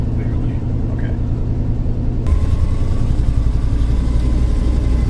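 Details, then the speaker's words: 1966 Ford Thunderbird V8, revived after sitting for years, driving after shifting into third, with low oil pressure: uneven, stumbling low rumble with a skipping beat; misfire, running on six cylinders. "it's running on six right now."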